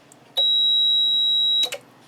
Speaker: It short-circuited it, or it shorted at 2.09 kV, or arced. It's possible it arced under the connector, the terminal block.